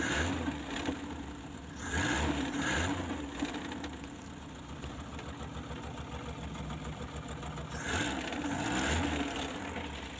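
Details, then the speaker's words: Mitsubishi Colt 120SS engine, previously hard to start with lost ignition current, after checking and rewiring delco (distributor) cables; several manifold vacuum lines were found unplugged. Even, steady idle with brief throttle blips rising and settling cleanly: normal idle after repair. "Lur, the one in the manipol, yes, the machine vibrates continuously, but it's just as quiet."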